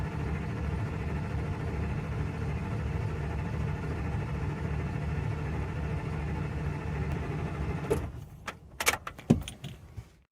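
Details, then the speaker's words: 2001 Ford F-250 V10 after head gasket and head installation, gas pedal floored, watching oil gauge: steady low cranking churn about eight seconds without catching, then clicks; cranking without start to prime oil pressure before first start. "so let's crank it if we hear any weird noises uh we stop right away"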